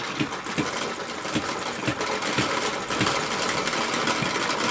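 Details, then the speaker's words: Stirlingkit B01 ball-top vertical hit-and-miss engine belt-driving a windmill directly, not clamped down: quick uneven ticking about 78 a minute with light clatter; running too fast and jumping around so the belt throws. "It's definitely running too fast and the belt comes off."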